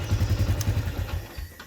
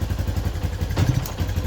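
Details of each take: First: Yamaha Jupiter MX New 135 (2011 or 2012) throttle blip after CDI replacement, following complaints of severe hesitation on initial low throttle: quick, even firing that picks up cleanly and fades back smoothly with no bog, unlike the old CDI; normal throttle response. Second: 2011/2012 Yamaha Jupiter MX New 135 with severe stutter at initial throttle and sudden stalling: smooth with gentle throttle but pops unevenly, stumbles and nearly dies on sharp throttle snap; mechanic suspects original CDI.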